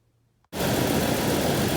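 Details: 2003 Ford Ranger 3.0 V6 with P0305 misfire, after fitting a new coil pack (old one dirty at one plug wire): engine starts after brief silence and holds a steady, even idle with no obvious stumble.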